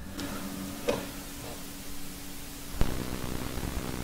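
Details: New desktop with ASUS motherboard feeding Yamaha HS5 studio monitors: low steady hum under faint hiss, sharp crackles each time the speaker is touched to ground; ground loop noise, fixed with tape.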